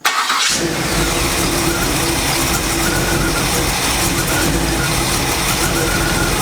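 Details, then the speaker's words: Chevy truck with suspected cracked flexplate: engine cranks, catches and builds a rough, rasping wretched roar when revved; torque converter gap looks unchanged, source unconfirmed. "okay i think it's time for my last resort throw the camera down there because it's making a wretched noise once i start revving it"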